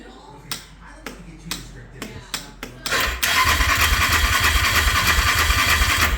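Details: 2013 Yamaha Grizzly 550 EFI, crank no start: starter spins the engine at a steady churn, about three beats a second, but it never fires; failed fuel pump found.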